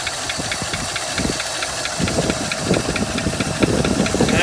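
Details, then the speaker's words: 1956 Buick Century, original car that likely sat unrun for years, restarted at idle: rough idle with a light fast tapping about three per second; one lifter suspected not pumped up, left running to see if the tick goes away. "it definitely sounds like it's got one lifter that's not pumped up we'll just leave it run for a little bit"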